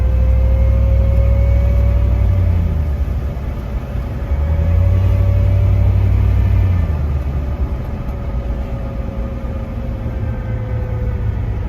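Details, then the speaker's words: NP231 transfer case while driving: a steady mid-pitched whine over heavy road rumble, rising and falling with speed; transfer case whine, later traced to metallic filings and a differently cut gear. "i have been chasing the transfer case wine noise for a while let's listen to this clip if you listen you can hear the transfer case"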